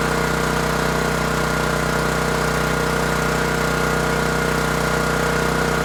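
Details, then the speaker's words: New Champion 7500 watt dual-fuel generator on first run after setup, heard from about 10 feet: steady, even, moderately loud drone at constant speed, smooth firing beat, no knocks or misses; normal running. "We'll check the oil, and the sound you're hearing is from approximately 10 feet away. Not super loud, but it's also not the quietest."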